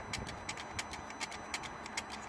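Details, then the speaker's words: Mercedes ML320 CDI, ignition on, engine off, after repairing the original turbo actuator: crisp clicking about three times a second as the actuator sweeps through normal self-calibration; fault fixed. "can you hear it adjusting so let's start the engine beautiful there is all fixed"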